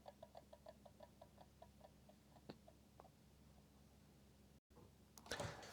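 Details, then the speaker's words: PlayStation 1 on power-up: rapid regular ticking about four a second from the CD-ROM drive over a faint hum; dry, worn spindle motor needing service. "yeah I've had lawn mowers that sound better than"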